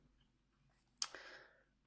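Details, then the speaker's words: Olympus 12-40 Pro lens on a Panasonic Lumix G80, heard with the lens held close to the camera while zooming with the camera on: a single half-second, high, thin, dry rubbery rasp with a sharp click at the start; the grinding noise occurs only when the camera is on. "And suddenly there's some sort of rubbery grinding noise almost."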